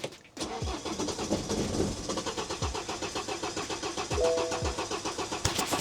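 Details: 2009 BMW 118d diesel: cranks, catches, then stumbles with uneven lumpy firing and no steady idle; dash and battery warning lights on, cause unknown.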